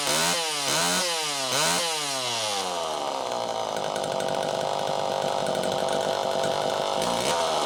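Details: Super EZ Automatic chainsaw on a test run after cleaning: revs rise and fall a few times, then hold a steady high two-stroke scream while cutting wood; normal running under load, strong and clean.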